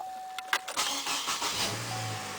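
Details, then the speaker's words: 2010 Chevy Colorado LT with the 3.7L Vortec 3700 inline five-cylinder, started very cold and not revved: a few quick starter clicks, then it catches at once and settles into a smooth, steady idle; a normal, healthy cold start. "and it starts like that that's pretty sweet awesome"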